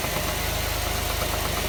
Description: 2006 jaguar xtype 3.0 v6 engine knocking tapping noise under acceleration